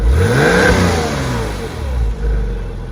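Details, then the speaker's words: Porsche 986 Boxster after accident repair, first run, cold start just ended and not fully warm, standard exhaust: clean smooth revving with deep even exhaust note, no knocks, engine healthy. "The engine sounds absolutely amazing."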